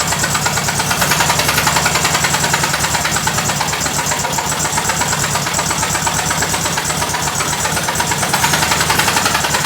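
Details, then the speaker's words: VW Beetle (Fusca) with freshly rebuilt engine, warming at idle: loud harsh clatter about three or four beats a second over a rough shaking idle, with new vibration not present before; sounds like engine knocking. Cause unknown. "ó rapaziada ele não vibrava igual ele tá vibrando agora gente"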